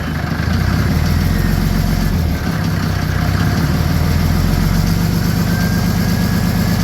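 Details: First start of an OM603 Mercedes diesel swapped into a Ford Ranger (Doomsday Diesel adapter, Ford ZF5 transmission), with a hose jammed in the throttle linkage for slight throttle, warming up: steady, deep, even idle clatter, no misses or knocks; normal idle.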